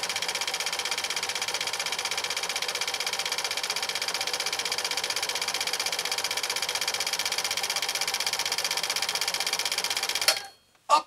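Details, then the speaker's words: 1980s New Home SL2022 all-mechanical 1.0 amp sewing machine, about 31 years old, after bench repair, final decorative stitch: even light whirring about four stitches a second, steady rhythm, no knocks or grinding; healthy. "well it definitely qualifies after being on my workbench and it is doing just a spectacular job"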